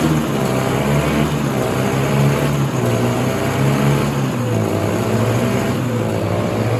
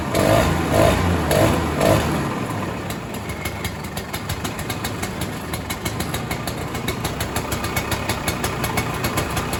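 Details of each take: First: 1967 Ski-Doo Alpine twin-track snowmobile, sat many years, running on its own fuel line before carb cleaning: low, blubbery two-stroke with wavering muffled note that never clears; rich running from flooding carburetor, owner suspects debris in needle and seat. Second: 1967 Ski-Doo Alpine twin-track snowmobile, two-stroke, sat many years, now on its own fuel, about 75°F: pull-start bursts with barely any choke, then a steady burble settling into even idle; running much better.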